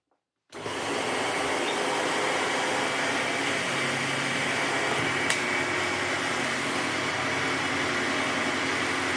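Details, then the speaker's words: 1998 Sebo X1 upright vacuum after a temporary end-bearing fix: motor spins up within a second to a steady, even whir with no rumble or squeal, silent again; normal brushroll running. "It's silent again. That's awesome. Excellent."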